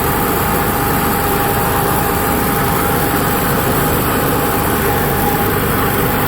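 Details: Onan Cummins HGJAB (QG 7000/5500) generator after refilling the emptied float bowl and priming the fuel pump: steady, even drone with a faint constant tone, no knocks or surging; idling smoothly with no load.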